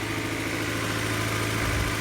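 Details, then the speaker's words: 1999 Honda CR-V B20Z four-cylinder, first start after a valve adjustment, long unused: steady idle a touch high, with a slight belt squeal, smooth and even, no valve-cover ticking, healthy. "All right, slight little belt squeal and kind of a high idle, but it's been sitting for quite a while, so we'll see if"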